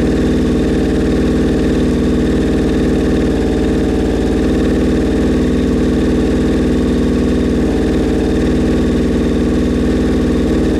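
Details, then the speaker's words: Suzuki Bandit 1200 four-cylinder at its first start after a rebuild, on choke: an uneven, lumpy low idle with a wandering beat. The owner says the four carbs are out of whack and not yet synchronized. "all right so yeah she fired up something's going on with my gauges to sink the carbs uh i've messed with that"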